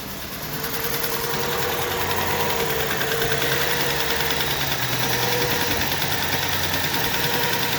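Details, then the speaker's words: 1.4 TSI Volkswagen cold start during the first minute of catalyst-heating mode: fast cold idle with uneven stumbling beat and dropped pulses, misfires on cylinders 1 and 2; blamed on catalyst warm-up software, normal once warm. "При холодному пуску в момент прогріву каталізатора, це десь перша хвилина роботи, у нас діагностуються пропуски запалювання. Причому вони можуть діагностуватися в абсолютно різних циліндрах."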